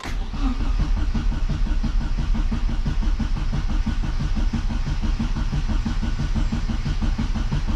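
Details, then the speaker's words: Rover Mini Cooper S Sport 5 with 5-speed gearbox and SI John Cooper conversion, unstarted about 7 months, dead battery so on booster pack, cranked with coil disconnected to build oil pressure; steady low churning crank around three beats a second, no firing, normal. "but we've got the booster pack on it let's see if we get some oil pressure oil lights on the coil's disconnected"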